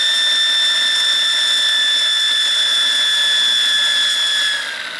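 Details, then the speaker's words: Wilesco T115 steam turbine at about 1.6 bar, drive belt removed: a high steady whistle slowly sinks in pitch as it coasts down far longer without belt drag; the bearings sound free and healthy. "You can hear how much longer it takes to spool down without the drag from the belt. So, yeah, the bearings are really good."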